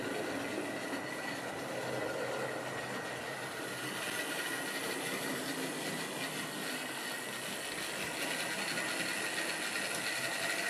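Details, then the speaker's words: Wrenn West Country class model loco Lyme Regis, unrun since the 80s, couplings freed of paint on bearings; slight stutter noted, very smooth backwards. Continuous smooth whirring with light, loosely spaced clicking, no grinding or catching; motor running freely. "So she is now not too bad. A little bit of a stutter. Very smooth backwards."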